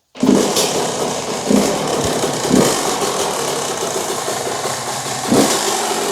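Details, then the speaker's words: 2001 YZ125 two-stroke, not fully warm, air/fuel screw 2 turns out: uneven blips and burbles that sag between throttle bursts, then it dies; it loads up at low rpm and won't hold idle, from a rich low-speed mixture. "s it really loads up at low RPM, and I know it's a 125, it should be rid pretty much wide open, but if you're just trying to lug and putt around, this thing loads up. It won't hold an idle and all that stuff."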